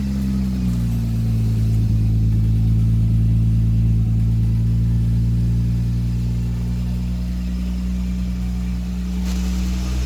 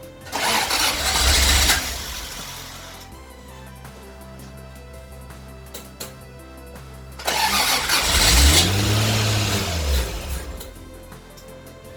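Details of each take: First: 1977 Toyota Celica RA28 with 1G-GTE engine, first start after build, makeshift exhaust pipe, intercooler not connected: deep, smooth exhaust drone, steady rumble swelling gently with revs, no knocks or clunks. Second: 1977 Toyota Celica RA28 with turbocharged 1G-GTE, first start after 2.5-year build: two cranking bursts catch briefly and sputter out over music. Intercooler piping not connected, so airflow-meter-controlled engine gets fuel but no intake air and won't keep running.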